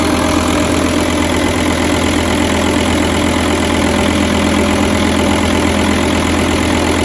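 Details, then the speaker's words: 2006 VW Touareg V10 TDI after new batteries and removal of its tune: loud, uneven, lumpy idle with a faint knock, struggling to keep running and starting worse than before; low voltage measured, electrical or ECM communication fault suspected. "starts up terrible too so before it would actually sound decent when I started up this one it sounds like he's really trying to struggle"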